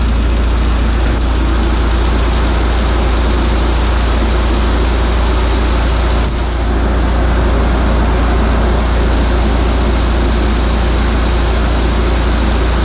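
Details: Audi A4 B6 1.8T with freshly assembled engine, first start after filling coolant and oil, temporary intercooler fitted: thirteen seconds of smooth, constant idle with a low steady hum, no ticking, knocking or hunting; normal idle.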